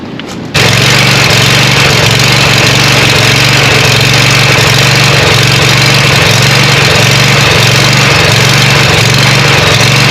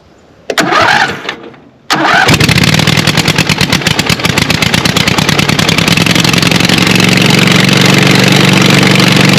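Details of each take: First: Scag Cheetah 61-inch mower with a swapped-in Craftsman 24 hp Briggs & Stratton twin, after a bolt secured with thread lock: fires up, steady even twin drone for ten seconds, no shaking, rattle or knock; normal running. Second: Scag Cheetah mower (about 61-inch cut) with its Kawasaki replaced by a Craftsman 24 hp Briggs & Stratton twin, running with choke on and no muffler: short crank, then a loud, raw, rapid popping idle; loud exhaust from the missing muffler.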